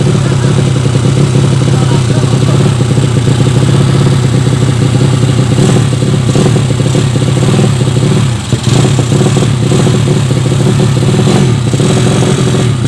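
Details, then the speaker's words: Yamaha Vega ZR with swapped Mio cylinder, 200cc, 66mm piston, standard stroke, Tiger cam, test run after long storage: steady single-cylinder thumping with occasional uneven dips; engine runs normally but carburettor not yet set, still lean. "maaf kalau punya polisi belum sesuaikan masih ada tekor yang pasti mesin ini masih bisa hidup dan norma ya cuman karbunya belum sesuai"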